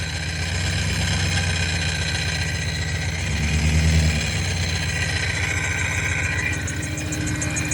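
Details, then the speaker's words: 2000 BMW E39 540i V8 recorded from under the car, idling evenly with a light, loose rattle near the bellhousing alongside a squeaking belt. The owner suspects the flywheel, possibly the header or an exhaust leak; unconfirmed. "a little bit of a rattle could also be an exhaust leak i'm not sure nah that was definitely some flywheel action"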